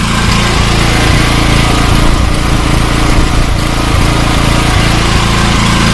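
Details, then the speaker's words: Old Coleman generator with a Vanguard gasoline engine, carburetor clogging from old fuel, PRI-G fuel treatment added, putting out about 110-120 V; steady running with a slight rise and fall, still mildly surging but running much better. "and get it started it was surging still surging but it's running a lot better"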